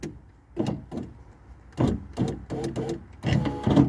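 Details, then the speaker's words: Power window motor struggling to raise the window, giving short, strained, uneven whirring bursts while the window labours and won't travel up; sticking window regulator suspected, a new regulator being considered. "I'm just gonna try and get this window back up it's actually really reluctant to at the moment"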